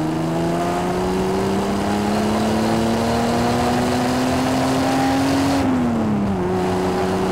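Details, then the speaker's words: 1975 Triumph TR6 PI straight six, Lucas mechanical injection, with good temperatures and pressures, mic near tailpipe: smooth note climbing steadily under load, easing off cleanly, no misfire or hesitation; normal acceleration. "lovely yes nice power curve not the fastest car in the world but that's not the point it just delivers its power effortlessly and smoothly and that straight six makes it"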